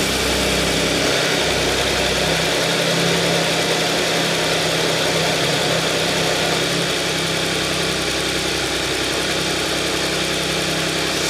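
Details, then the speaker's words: Audi S cold-start idle after replacing broken timing chain guide (fragments found in small oil pan, oil strainer clogged and cleaned): smooth steady hum, no rattle or tapping as idle settles; the former chain noise is gone. "原来的话发一会儿，这声音就很响了，转速下来的时候，现在怠速已经慢慢下来了。那原来那个声音呢，已经没了。"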